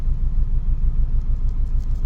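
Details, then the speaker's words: 2000 Toyota Celica GT idling cold right after new parts were installed: a low, uneven, lumpy throbbing with a bad shake. The owners suspect the exhaust or an exhaust hanger, or possibly a misfire. The cause is not confirmed. "Still shaking. Yeah, I should let it warm up. I don't know, what the heck is that shake? It's pretty bad."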